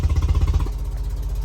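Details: Car with a blown-out spark plug: heavy, lumpy exhaust pulses throb unevenly, then settle into a rough beat; severe misfire with the car shaking uncontrollably and engine power reduced.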